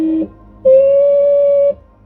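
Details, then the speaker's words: Peugeot 306 Meridian HDI (2001): horn fitted pointing upward filled with water and rotted, so pressing it now gives a thin, strained, single-pitch blast about a second long with no punch, comically weak; horn needs replacing. "And because of it, the horn's gone rotten, and when I tried to bib the horn now, it's quite comical. It's quite embarrassing actually."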